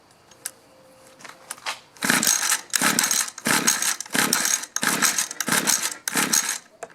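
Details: Mantis mini tiller 2-stroke, sat in barn about 10 years, after cleaning dirty coil, choke then no choke: repeated pull-start cranking bursts, about 1.5 per second, never catching; no firing points to failed ignition coil.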